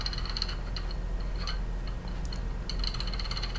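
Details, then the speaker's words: 3D printer LM8LUU linear bearing sliding along its rod gives gritty metallic rattling and clicking bursts; dreadful low-quality bearing, rods should be hardened chrome-plated to H6 tolerance. "hear that rattle that that's but that's truly dreadful I might as well just throw this fricking thing way"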